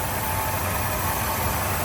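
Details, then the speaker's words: 1979 Ford F250 Custom Explorer, carbureted V8, just started (starts up really nice): steady even low rumble, no knocks, misses or squeals; runs great, normal idle. "Runs great."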